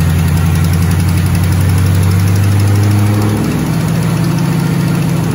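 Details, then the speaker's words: 2008 Mustang GT S197 V8, first startup after priming, following new cams and lifter and rocker arm work to fix a ticking: deep even idle settling slightly lower after a few seconds, no ticking; normal idle. "Alrighty then, everybody, he's up and running. Bad boy's up and running."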